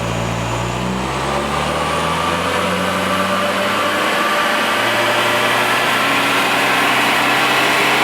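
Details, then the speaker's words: Toyota Surf stock 2L-TE turbo diesel, EGR deleted, 3-inch straight-through exhaust, on dyno under load: pulls steadily then flattens near 3000 rpm as boost cuts and it leans out, turbo light turning off; boost cut and lean-out at 3000 rpm. "So right at 3000, where it starts to lean out, the turbo light turns off, but the check engine light doesn't come on."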